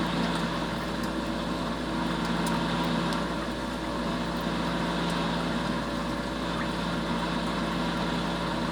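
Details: Steady droning hum with a faint whir over the idle, no knock; bad water pump, likely a worn bearing.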